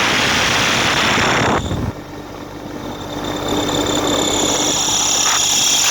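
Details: Atlas Copco GA15 compressor: harsh rushing roar, then the sound drops and a thin high whine rises over the hum; abnormal sound caused by a drive belt problem.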